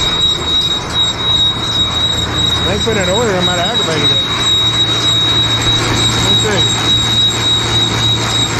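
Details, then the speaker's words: John Deere baler being moved by tractor: brief high, wavering squeal rising and falling over steady drone, apparently from the chain drive; went away, owner oiled chains, suspects drive chain area, cause unconfirmed. "i did hear a little squealing though but it went away already"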